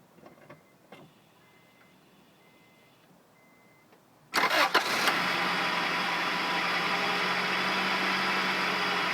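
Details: 1999 Acura Integra: after a few quiet seconds it cranks, catches and settles into an unevenly pulsing idle instead of running smooth. Rough idle, cause unknown.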